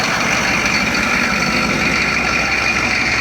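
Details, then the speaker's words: 1993 Chevy 2500 turbo 6.5 diesel after fitting a rebuilt DB2 injection pump, which replaced a faulty pump that smoked constantly. Only a small puff of smoke at start-up. Steady, even idle rattle with no misses or stumbles. Normal, clean-running idle. "Little puff of smoke when it first fired off, but nothing like that other guild pump that was just constantly puking smoke. Idle's a lot smoother, a lot healthier."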